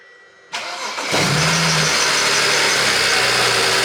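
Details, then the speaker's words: BMW E92 335i, first start after misfire repair with new spark plugs, a coolant leak still unresolved: the starter cranks briefly, the engine catches cleanly and settles to an even idle with smoke in the bay; it feels better, the misfire is gone. "[ __ ] that's just smoking up a storm in here first start definitely feel better than before"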